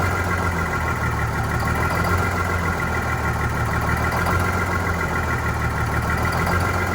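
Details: Vintage diesel bus on a very cold day, idling with a low, uneven chug and slightly hunting beat; rough idle after fuel hose replacement and re-priming, clear fuel-line section showing air, suspected air in fuel, unconfirmed.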